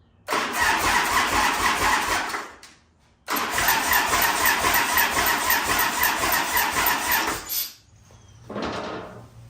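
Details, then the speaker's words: 1989 Harley-Davidson after 10 years in a barn, on a spare carburetor that leaks badly, oil draining out: catches roughly about two seconds, dies, fires again four seconds, then stalls; starts briefly then dies, cause suspected. "All right, well, we've got it to fire there just a little bit, and I don't know if you can hear that, but that's also the oil drain out, so we got to do the spring thing again."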